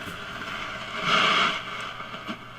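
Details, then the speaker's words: 1953 Vidor CN426 suitcase AC/battery portable radio, tested after repairs (a valve changed, a valve base and a wire repaired), generator removed and antenna fitted: even hiss that swells then settles, with no hum, crackle or dropouts; normal receiver noise. "It's about right and it's making noise. It's making good noise."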